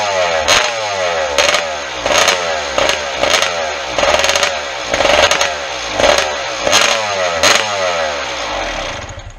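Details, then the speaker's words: 1996 RM250 two-stroke at its first startup after restoration, with fuel and exhaust systems redone, engine nowhere near hot: crisp crackle with sharp revs about every second, dropping back cleanly. The water pump is pumping; the engine runs and revs normally. "Obviously the engine's nowhere near hot, just running that little bit."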